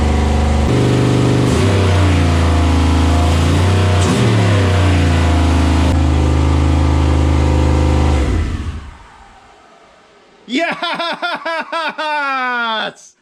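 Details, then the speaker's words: 6.0 engine swapped into a CUCV truck, first start, no coolant in it: fires and settles into a fast steady idle well above the 900 rpm setting; idle speed set too high, to be adjusted. "she runs Boise girls yeah man it's idling super high - I have it set to idle at 900 so it sounds like I can turn that down a little bit"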